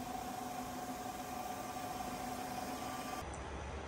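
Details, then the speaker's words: WMW-Heckert dual-spindle universal milling machine, horizontal spindle at its maximum 1400 RPM; a steady even hum with a faint fixed tone and no knocking, grinding or whine; the spindle sounds healthy. "Working of spindle at its maximum speed, that is 1400 RPM. And you can hear there is no extra noise from the spindle, even at its high RPM also."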